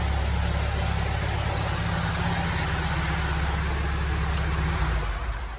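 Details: Telehandler diesel after bleeding air from the fuel system and letting the hot starter cool: even steady idle with a low regular thrum, no surging or misses; normal idle.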